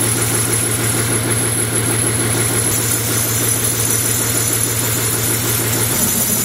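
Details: BMW M57 diesel on an engine stand for a Land Rover Defender swap, no exhaust pipe fitted: loud raw clatter at steady idle with even beat, harsh only from missing exhaust; normal diesel idle.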